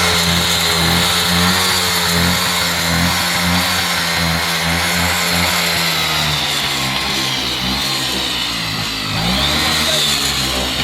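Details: Bajaj RE two-stroke autorickshaw, just revived after years unused, running on an oil-petrol mix: a buzzy note climbs and falls cleanly with each throttle blip, with no misfires or stumbling. Normal running.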